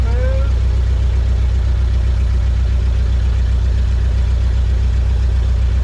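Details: 1970 Ford F-250 V8, dragged from a field, first start after sitting with the engine untouched, jump-started because of a dead battery: deep, even burble at idle with firm steady pulses and no misses or stumbles; runs smoothly.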